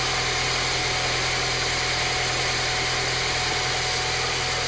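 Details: 2000 Honda Accord EX 2.3L four-cylinder at 305,000+ miles, after replacing leaking distributor housing O-ring: even idle with steady low beat under some hiss, no knocks or misfires; running fine.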